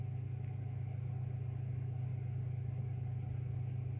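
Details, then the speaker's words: AEG 49106IU-MN oven after replacing top oven grill element, element warming up and clicking: fan kicks in with a smooth, steady low hum, no rattles or scraping; normal fan operation. "well it's getting warm again so that will glow orange in a minute I'll pause it a minute and wait for it to Glow now there you go the Fan's just kicking in"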